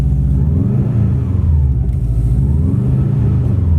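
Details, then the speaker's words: Subaru WRX in freezing weather after rain, held at revs: deep uneven rumble with ragged surges and backfires. It won't pass 3,000 rpm and wants to die. Misfire under revving. "i'm just gonna be revving it here for five hours until the gas is almost wasted the car wants to die out i can hear it"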